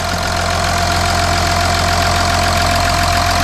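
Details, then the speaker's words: Audi Q7 3.0L TDI after engine oil cooler replacement, no dash warning light: steady, even diesel clatter at idle with no misses, knocks or surges; engine running great, no leaks. Normal idle. "So the engine is running great. The engine sounds good."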